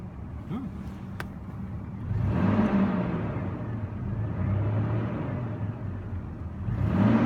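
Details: 2002 Toyota Tundra 3.4 L V6 after tightening the squealing drive belt via the alternator: cranks and settles into a steady, even idle with no squeal or chirp; belt fixed, sounds normal.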